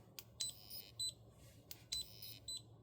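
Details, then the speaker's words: Cheap AliExpress 20000 mAh power bank, USB Type-C output under load at 12 V: short sharp high-pitched squeaks in bursts about twice a second, buzzing; cause not confirmed. "Turn it off again. Yeah, it's buzzing."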